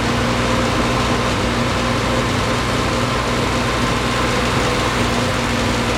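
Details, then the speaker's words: 1973 Triumph TR6 restoration, first start in 2 years: steady but lumpy idle with slightly ragged beat; rough running, owner thinks ignition too far advanced, also hears clicking. "obviously we have a mouse clicking we have the ignition is too far advanced"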